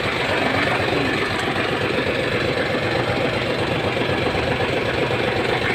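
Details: Hino 700 with E13C diesel, low power, rough idle and hard starting: uneven, lumpy idle with a recurring stumble, cylinder dropping out from malfunctioning injector #5.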